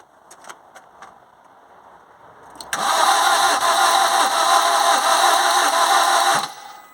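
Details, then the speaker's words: Vauxhall Corsa, about 1.3 diesel, no-start: starter spins about three seconds at fairly steady rate with uneven lumpy beat, never catches; cranking amps show one good cylinder compression and three low. "I would say it's not very good on the blue one this time, but it's still enough that I know what's going on. I've got 1 good compression and 3 not so good."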